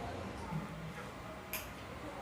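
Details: Automatic washing machine with a universal PCB control card, after two wires were swapped: quiet room, then a single clean high beep near the end as the board powers up and starts normally; drain motor then runs on spin.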